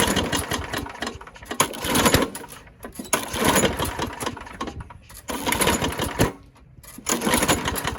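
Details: Craftsman push mower pops on repeated cranking but never catches and runs; scattered pops from a sheared flywheel key that knocked the ignition timing out; broken flywheel brake cable.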